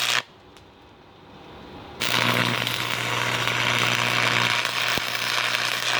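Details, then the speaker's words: Free Miller Thunderbolt 225 stick welder, first-time user, at full bore. Steady loud crackling sizzle over a low mains hum: normal stable arc. "It's kind of fun. Always a good time when you're melting metal to metal."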